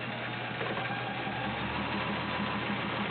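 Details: Kenmore Model 1753 heavy-duty all-metal sewing machine with 1.2 A motor, cam position selected, sewing a stretch pattern: even motor hum with quick regular needle ticking, about three per second, steady throughout; stitching smoothly, sounds healthy.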